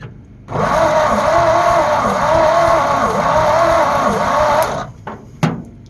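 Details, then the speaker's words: Abandoned 1948 Ford F5 bus after sitting 25 years, more gas added after a backfire, charger connected: starter drags engine over about 80 turns a minute for four seconds, no start; owner suspects battery. "Okay, let's try that again. A little bit of gas. I don't know why it's cranking so slow."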